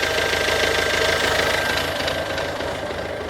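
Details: Ford Focus C-Max 2007, 1.6 TDCi 90HP diesel idle: sharp, fairly even knock around three per second over a rattly clatter; engine knocking, cause not yet pinned down.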